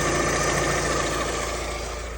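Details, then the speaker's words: Alfa Romeo Twin Spark engine at idle after the knocking SKF balance belt tensioner was swapped for a different make (Dayco): smooth, even hum, tensioner steady and no tapping or knocking. "Okay, running with a different make tensioner now. Look at that. Nice and still, it's not jumping around anywhere. Obviously it's not knocking."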